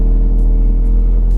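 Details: Ford Focus RS Mk3 turbo four on MSD420 tune, just after replacing spark plugs whose gaps had opened up: short steady even low rumble at idle, no misses, stumbles or ticks.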